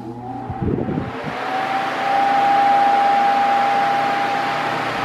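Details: Mondial Maxi Power 40cm 140W V-40-B oscillating fan, new, run at maximum then medium and minimum speed: a steady whoosh with a high, even motor whine. The owner finds the motor too noisy, even on minimum, and thinks airflow is weaker than earlier Mondial models.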